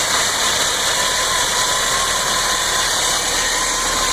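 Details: Toyota Land Cruiser FJ62 engine idling with a hissy, uneven note and no steady beat; rough idle, cause not yet found.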